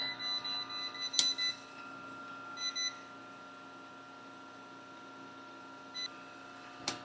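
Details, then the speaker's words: Homemade rotary phase converter after an added capacitor was removed again: steady, even electric hum from the idler motor, no surging, a few clicks nearby; run amperage more stable, motor runs smoothly. "And I don't really hear the motor making the almost like a little surgy noise like it was. So I'm going to call that good there."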